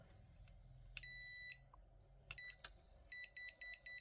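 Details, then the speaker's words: Toshiba rice cooker converted from 100V to 220V, after replacing the control-to-power board cable, pot lifted out: long high beep then short beeps about four per second; continuous error beeping persists, suspected voltage fault, not confirmed. "Nếu mà nó không có hiện tượng tít tít tít nữa là là đã ok nhá. Ồ, vẫn đang lỗi ở đâu rồi?"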